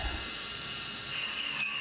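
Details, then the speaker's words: CNC milling of an AR15 gasblock bore by interpolation, reprogrammed to 0.070 in radial engagement (about 2% stepover) at unchanged RPM: a steady high ring over the cutting hiss, light endmill chatter. "while keeping the RPM the same, we're now getting some polar harmonic vibration or chatter."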